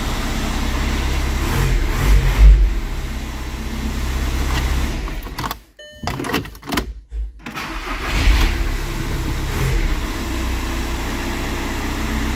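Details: Volkswagen Passat diesel after no-start with codes P0322/16706 (engine speed sensor G28 no signal, glow plug lamp flashing): engine turns over, fires and settles into a steady, even idle with no misses or knocks; normal idle.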